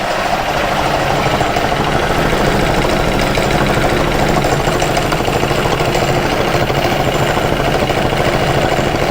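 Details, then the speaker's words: Aprilia Scarabeo 200 scooter engine with covers off, settings tampered with by previous owner: uneven, hunting idle with irregular firing beats about three per second while the carburetor is being readjusted; carburetor out of adjustment. "Şu an ne yapıyorsun abi ya oynamışlar bütün ayarlarıyla onları düzeltiyorum karbüratör ayarı"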